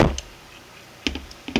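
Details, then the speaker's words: 3D-printed single-print 1/2" quick-release reversible ratchet switched to the other side: a few crisp, light clicks turning counterclockwise with no grinding or slipping; it won't turn clockwise, so the pawl catches properly. "Now we're going to turn counterclockwise. You can hear it turning, clicking. Maybe a little difficult at first, but it can't turn clockwise."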